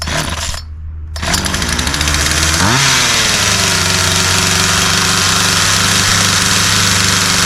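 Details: Poulan two-stroke chainsaw after restoration with a new spark plug, fuel and air filters, fuel lines and primer bulb, and with the chain tightened: fires and rises to a high, steady, clean buzz without bogging or surging. Runs normally.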